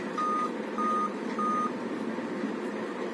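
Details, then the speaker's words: Dell Inspiron laptop on charger at power-on gives continuous five-beep POST code, evenly spaced mid-pitched beeps about half a second apart; suspected dead CMOS battery, to be replaced to see if beeping stops. "तो ये किस reason से आता है पता है ना, यही देखना है हम लोग को। तो मेरे हिसाब से ये सीमॉस बैटरी के लिए होना चाहिए, ठीक है।"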